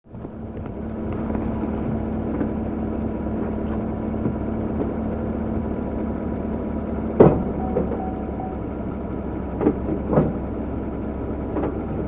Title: GMC clunk noise when shifting Reverse to drive